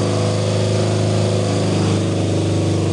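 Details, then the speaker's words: 1975 BMW R90/6 boxer twin, first start after rebuild to 1000cc with Siebenrock kit, dual-plug heads, new bearings: even, steady low drone with regular firing pulses, no knocks or rattles; sounds healthy. "It's the end of the day and I get to go home happy cuz it started. It sounds healthy. It sounds It sounds great, in fact."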